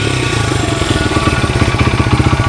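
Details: 1994 Honda XR100R after carburetor rebuild (jets had been clogged, previously wouldn't idle or rev), warmed up, no smoke: the single pops steadily and picks up cleanly on each throttle blip, then settles; crisp, free-revving.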